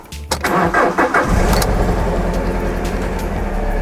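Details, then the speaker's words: Alfa Romeo GT after replacing a faulty ignition coil that caused an engine light and rough-idle misfire, codes cleared: brief crank, quick catch, then smooth, even, steady idle with no stumble or skipped beats; normal start and idle, zero faults found. "give it a REV oh yes much better there we go as you can see the engine light is off it's rubbing nice and smoothly"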